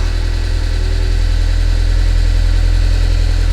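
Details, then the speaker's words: 2006 Audi A4 Cabriolet S-Line gas engine before repair, with low oil pressure: heavy, uneven clattery diesel-like rumble at idle; running rough, cause not confirmed. "so as you hear it almost sounds like a diesel that's how bad it is"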